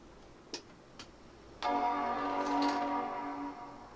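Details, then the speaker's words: Power Mac 7200/75 booting from BlueSCSI instead of original hard drive: two faint clicks, then clear startup chime over near silence with no drive whir or clatter; clean quiet boot. "So much quieter."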